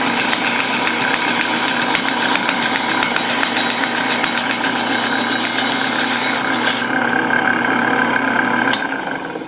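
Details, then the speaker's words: Used meat slicer whose blade was damaged in shipping, after regrinding: motor hum under a steady rasping cut with uneven catching. The blade is now chipped and grabbing the material. "so it's still grabbing and I can see it now like uh after doing the grinding I actually chipped it's actually chipped now"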